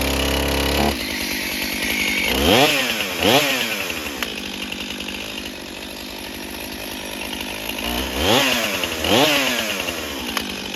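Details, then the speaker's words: Stihl chainsaw run on Stihl Ultra oil, muffler just refitted, warming up after a cold start: crisp two-stroke buzz settling to an even idle, with clean rising revs on throttle blips and no stumbling. Runs properly. "This is same saw, just put the muffler back on. We're gonna let it warm up, see how it starts and runs."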